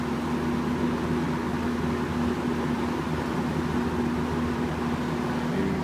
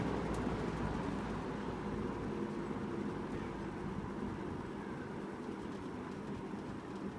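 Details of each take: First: 1983-84 Sears (Lasko) Model 8121 box fan on medium speed: a steady hum with a constant tone near 200 Hz over the airflow; the fan motor whines. It was louder before its washers were in place. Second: 1983-84 Sears (Lasko) model 8121 3-speed 20-inch box fan on low: soft, even air rush with faint motor whine, no rattles; quiet normal low-speed run. Motor whine was loud before washers were refitted.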